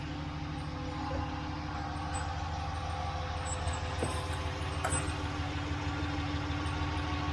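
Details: Ram 1500 5.7 Hemi V8 idling just after DIY oil change (6 quarts), heard from underneath near drain plug and filter; even low throb, no knocking or ticking; normal idle, no leaks.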